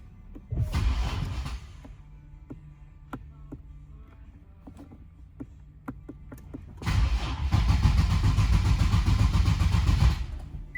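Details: 2018 Infiniti Q60 Red Sport 400 AWD crank no-start test: starter churns at a steady rhythm in two bursts with a quiet pause, never catching.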